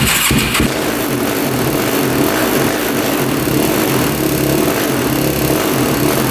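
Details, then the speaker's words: 2006 Yamaha YFZ450 single-cylinder quad starting up: runs unevenly, hunting and struggling to idle with popping, white smoke smelling of coolant or maple syrup; consistent with a blown head gasket. "I don't know if you guys can see the white smoke coming out smells like coolant or like maple syrup"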